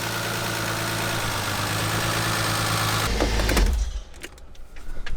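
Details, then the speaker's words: Inline-six engine with a freshly fitted cylinder head, recently run for the first time after rebuild: steady, even low idle with no knocks, misses or ticks before switch-off; the head is quiet and nothing is leaking. "Look how smooth this thing is, dude. Sounds good. Right? It sounds really good."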